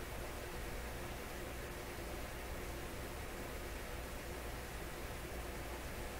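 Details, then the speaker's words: Electrohome Chippendale console tube radio, very low output on AM and FM, after replacing first capacitor and tubes warming: only a soft, faint, even hiss, no station or tone, nothing from antenna; weak output, fault unknown. "So, oh! Hey, something happened there. I can hear the hiss now, faintly."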